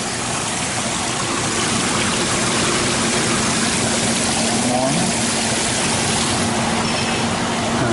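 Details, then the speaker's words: 15-year-old Carrier water-cooled packaged unit after repairs, dry cooling tower issue addressed, burn marks seen on compressor wiring insulation: steady rushing air and water with even hum, no knocks or squeals; unit running normally. "but it is what it is guys everything's working fine t3 working"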